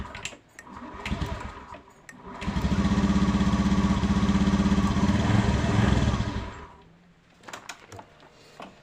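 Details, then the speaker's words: Honda Beat FI scooter after a battery replacement: it starts and idles with a fast putter, but sputters and won't take throttle, then dies; the suspected cause is ignition or spark plug, and a new plug is to be tried. Misfire. "ya hanya dari hanya posisi langsam bisa menghidupkan mesin ya teman-teman kalau kita gas dia brebet seperti tidak bisa ya tidak bisa diangkat gas ya teman-teman"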